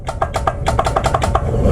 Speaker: most likely the problem is going to be the relay the really is not working that's the reason why when we click it from the helm and when we click it from this button here all that makes it's a clicking noise